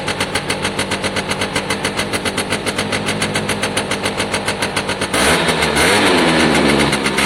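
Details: Piaggio Diesis 100cc two-stroke scooter, battery out; crisp regular popping about 3.5 per second, then revs up smoothly and cleanly, a healthy running engine.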